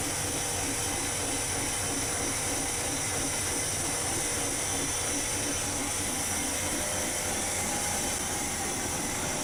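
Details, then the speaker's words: Chevy 283 V8 on warm-up run with pressurized cooling system, after lifter modification on all 16 lifters; idling at about 400 rpm, low, slow, even rumble, no lifter tick or misfire; smooth, healthy idle. "idling at about 400 RPMs, and it's really smooth."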